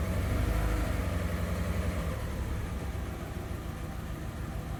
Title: Diagnosing P0304 #4 cylinder misfire on 2000 VW Beetle 2.0L using VCDS